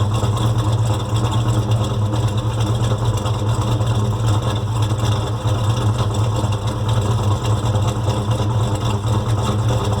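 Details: Freshly built 1970 Chevelle SS 396 V8 on initial running after dyno run-in: deep idle with a light quick tick resembling lifter noise; valve cover pulled, cause was a rocker arm that had worked loose.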